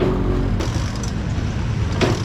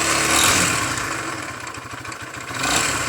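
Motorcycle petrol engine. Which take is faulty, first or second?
second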